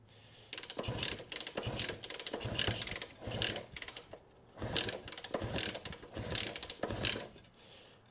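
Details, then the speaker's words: Honda CB160 (1967), diagnosing no-run after adding fuel to the cylinders: repeated kick-over strokes clatter in bursts with no firing; engine turns but never catches despite good spark, more work needed. "it's not even acting like it wants to oh this sucker got hope with all that spark we'll have to go through and do some more"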